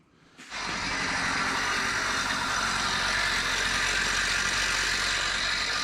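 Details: Tiller two-stroke (24:1 fuel mix) unused about 10 years, after plug cleaning and fresh fuel, slightly wet: catches and settles into a steady buzzy even run; normal running.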